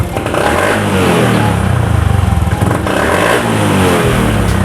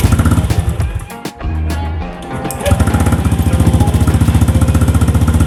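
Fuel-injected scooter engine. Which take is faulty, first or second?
first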